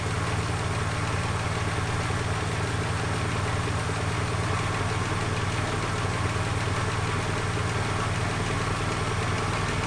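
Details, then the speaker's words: 1976 Ford Capri Ghia, carbureted, after fixing carb fuel leaks and reconnecting the fuel system: steady, even low idle with no stumbles or knocks; runs fairly well, though vacuum systems are not working and tuning is uncertain. "so fuel system's great she seems to run fairly well but i can't i'm not sure if it's spot on yet"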